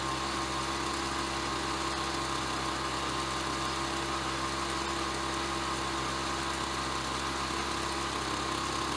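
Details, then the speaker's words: Ryobi BP42 backpack leaf blower two-stroke, 4 years old and weathered, after repairing no-spark, replacing and fine-tuning the carburetor, and redoing the fuel lines: steady high buzz at even pitch with no surging, hunting or misfire; normal running. "okay so the engines all set carburetors dialed in we obviously we have ignition fuel lines are all set"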